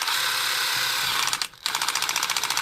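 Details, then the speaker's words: Dewalt DCH273 SDS rotary hammer drill, battery-powered, tested in chisel mode with the mode switch held in place by hand: a high buzzing motor with rapid, regular hammering pulses. The hammer mechanism works normally. "That's hammering in chisel mode. So if it's hammering in chisel mode, it'll be hammering in drill mode."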